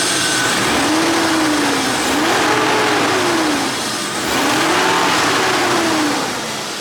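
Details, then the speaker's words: BMW E36 328i convertible after new spark plugs, previously rough startup: quick throttle blips, revs climbing and dropping smoothly without stumble or misfire; crisp, normal revving. "it already sounds smoother uh we'll give it a quick rev and see how it is"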